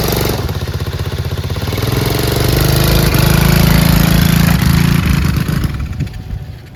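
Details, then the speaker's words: Chinese 125cc ATV with intermittent spark, running with tether switch disconnected: single-cylinder pops, hesitates on throttle, sags and stalls, then won't restart; owner suspects a loose wire, CDI or kill switch. "so I noticed that when I'm trying to throttle it's like very hesitantly wanting to throttle up like I'm losing sparkk already like it's super intermittent spark and then it won't start again"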